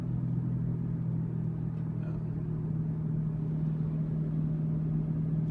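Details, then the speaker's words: 2006 Chevy Uplander at about 40 km/h; steady low grinding growl under road noise, worse turning left and almost gone turning right, indicating a bad passenger-side front wheel bearing, later replaced. "there's a grinding noise and what I found is that when I turn the left it actually gets worse when I turn right it gets better"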